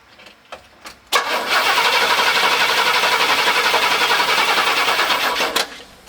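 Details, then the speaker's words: 500 cubic inch engine cranked by a JFEGWO CS02-PRO 8250A jump starter without starting: brisk, even cranking at about four compression beats a second, showing strong cranking from the jump starter. "we're trying to test a jump start and when you test a jump start it's not about the car starting it's about how well it cranks and you heard how well this 500 cubic inch engine was just cranking"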